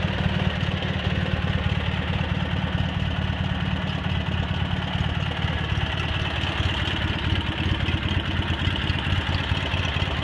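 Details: Cub Cadet 782 garden tractor with 42-inch snowblower and hydraulic lift, just rebuilt, repainted and reassembled, started after sitting a couple days: steady low idle with an even, unhurried beat and no knocks or rattles; normal healthy idle.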